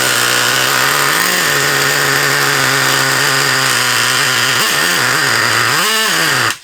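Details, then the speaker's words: Traxxas Revo 3.3 nitro RC car engine whose owner turned the needle screws, leaning it out too much: high buzzing idle surges and sags, then dies; lean running. "I know what he's done don't ya he said to me now he's messed around with the screws to try and get him to run but I know what exactly what he's done is he's lamed him out too much"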